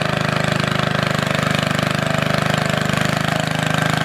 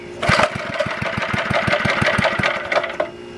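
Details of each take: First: Antique Goodall-Modern edger with 3hp Briggs & Stratton engine, last run mid-1990s, started after fuel turned fully on, many recoil pulls needed; fast steady single-cylinder putter at constant speed, no missing; normal running. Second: Antique Goodall-Modern edger with 3hp Briggs & Stratton single-cylinder, last run mid-1990s, sitting 20+ years: pops along unevenly with irregular, surging firing and faint rattle; rough running, owner suspects carburetor needs cleaning, possibly leaking.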